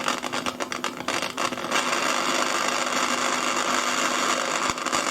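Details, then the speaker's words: Fidelity HF45 record player with BSR record deck, before servicing, first turntable test in manual as it keeps trying to go automatic: rough uneven grinding hiss with irregular scraping pulses as the platter turns, drive labouring, probably stiff or dry mechanism. "Yes, the turntable's spinning. It's looking like it's not happy."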